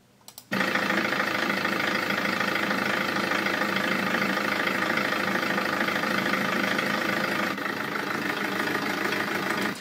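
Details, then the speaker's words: 2000 HDI 90 hp common-rail diesel at idle: rough, slightly uneven clatter, unstable idle and hard acceleration with a fuel pressure fault (P0190) on the dash, caused by a failing fuel pressure regulator valve. "vous pouvez voir que ce moteur est un 2000 HDI avec 90 ! HP, et il a des problèmes de ralenti, en plus de ça à l'accélération, il accélère aussi difficilement"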